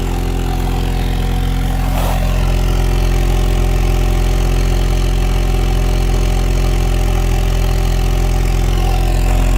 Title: 1998 z24 cavalier rod knock